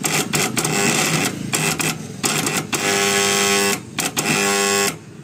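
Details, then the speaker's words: MU-1 starter for a 7.5 HP motor, contactor wet and rusted after sitting beside a stream: harsh rattling buzz in bursts as starter pulls in; contactor chatter from rusted core. "ఇక్కడ మీరు చూస్తున్న MU-1 starter అనేది starter on చేయగానే ఈ యొక్క కాంటాక్టర్లో అయితే vibrate మొత్తం sound అయితే రావడం జరుగుతుంది. నాయిస్ ప్రాబ్లం అనేది ఎక్కువగా అయితే వస్తుంది అనేసి కంప్లైంట్."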